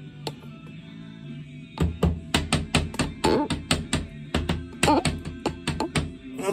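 Quick knuckle taps on wall tiles give a hollow, drummy knock, showing tiles that have come loose from the wall.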